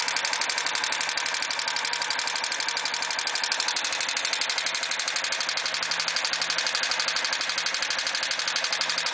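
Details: Suzuki GZ250 with 10,000 miles, just bought, idling with a fast, light, even ticking over the single-cylinder beat; owner unsure whether the ticking is normal.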